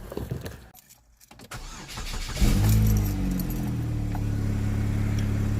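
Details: 2010 Chevy HHR after starter replacement: brief crank catches at once and settles into a steady, even idle with low smooth hum, starter engaging cleanly; normal engine start.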